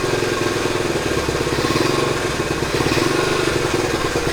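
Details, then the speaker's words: 1970 Honda Trail 90 stored about 20 years, first start after cleaning rusty, contaminated tank and carburetor, off choke: settles into a steady, even idle on its own, no stumbling; slight smoke, owner suspects mild oil burning, unconfirmed. "Horhay might be a little bit of an oil burner. Can't tell yet. I'm happy with that though."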